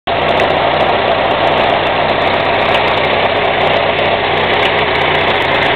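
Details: UZAM 1.5 engine idling with a fast, even metallic knock over the running sound; origin of the knock not identified.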